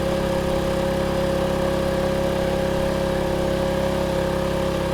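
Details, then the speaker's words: Generator supplying a substation demo with a kettle (standing in for a geyser) switched on: pitch changes as it takes the load, then a steady, even drone and firm hum with no hunting or misfires; running normally under heavy load. "you can hear the change of pitch on the generator. Remember that the generator accelerates when it starts throwing a lot of power, when it starts using a lot of power."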